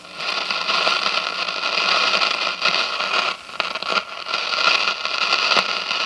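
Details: 1957 General Electric model 875 All-American Five tube radio after replacing the dual filter capacitor, drawing 23 watts; steady hiss with scattered crackles over the speaker and no low mains buzz; hum cured.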